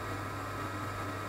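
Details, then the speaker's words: Firebird diesel (oil) boiler after running out of fuel and bleeding the fuel line via bleed nozzle, reset pressed, red light out: steady low hum with even fan rush, no sputter; burner starting and running normally. "Red light's gone out. And we'll hear the burner start."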